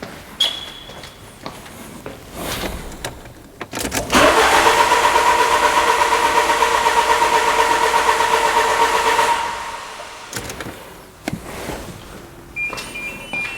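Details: 2000 Peugeot Partner crank no start: even starter whirr about three turns a second for five seconds, never fires; injectors and ignition coil not being triggered by the engine computer, traced to a faulty crankshaft position sensor.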